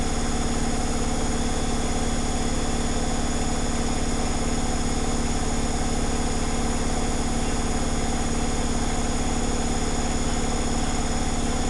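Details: Zanussi Flexi Dose ZWG7160P washer on final spin with an unbalanced load, held around 1000 rpm instead of 1600 rpm; loud steady spin roar with an even throb two or three times a second. Once rebalanced it spun at 1600 rpm without crackling.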